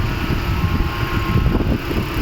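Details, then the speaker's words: 2011 Toyota Prius engine run in maintenance mode with check engine light on: uneven lumpy idle with irregular low thuds and loud engine noise; code P0301 cylinder 1 misfire, from a failing ignition coil that cuts out once warm. "थोड़ा सा हीट हो जाती है ना, तो इंजन बहुत ज़्यादा आवाज़ कर देती है। तो हमने इसको स्कैन किया पहले, तो इसमें कोड आ रहा है सिलेंडर नंबर 1 मिसफायर डिटेक्टेड।"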